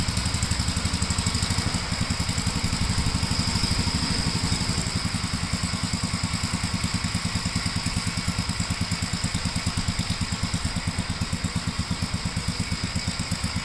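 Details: 1957 Gravely tractor mowing test: even, rapid single-cylinder chugging with steady beat under mowing load, no misses or knocks; runs pretty good, normal running under load.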